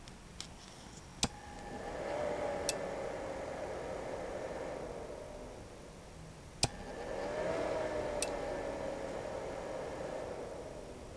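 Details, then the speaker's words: Icom IC-7300 transceiver: sharp click on keying up to transmit, then the stock cooling fan behind the radio whooshes up to a loud hum and fades, three times; fix is swapping in a Noctua NF-A8 PWM fan. "how many of you have the Icom ic7300 and when you key up and calling CQ or having a rag chew you always seem to hear the fan behind the radio spool up just like this"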